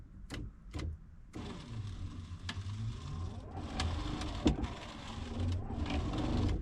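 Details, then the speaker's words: 1985 Honda Civic DX 1.3 L, parked 16 years, ignition-on electrical checks before first start: wiper motor gives a light electric whir rising and falling with each sweep, soft click at park; wiper motor works normally. "What's that switch do? Wiper motor works."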